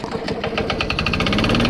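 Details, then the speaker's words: Craftsman Eager 1 mulching push mower, first start after a carburetor replacement: settles into a fast idle with a sharp knock on every firing, rough and smoking, not hitting the blade; engine knock, cause not confirmed. "sound like it has a knock in it though oh yeah you sound like you got a knock in it it's running kind of rough kind of smoking"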